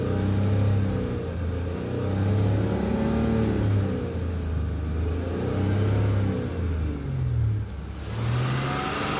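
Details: 2006 Honda Accord V6, heard for 20K miles and louder since engine mounts were replaced: droning hum rising and falling in pitch with each surge of acceleration, cause unknown.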